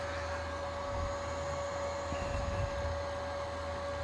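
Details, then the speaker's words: Carrier ECM motor driven by a VFD at very low frequency (about 8 Hz) gives a steady high whine over a rough, uneven buzz; rotor has lost synchronization while windings keep pulsing. "Usually this thing won't even go that slow unless you have the programming set to allow it. Too fast. Lost sync."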